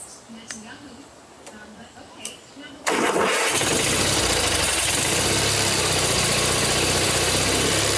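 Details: Vintage 1980s Simplicity Sunstar mower after starter solenoid replacement and priming, choke seemingly not working: quiet ticking, then the engine catches and holds a steady but coarse, uneven beat; running poorly, cause unconfirmed.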